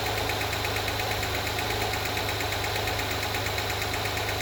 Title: 2016 acura rdx ticking noise consistent with rpms after spark plug change and timing belt.